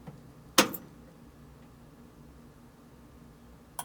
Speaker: So, as before, should hear a click when I turn on the power.